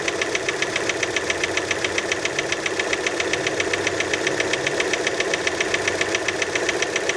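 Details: Steady cold idle just after start on a Fiat Panda: sharp, even ticking about four per second; engine knock after cold start, source not pinned down, many suspect piston skirt.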